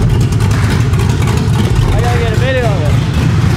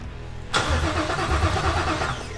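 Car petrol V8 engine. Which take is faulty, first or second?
second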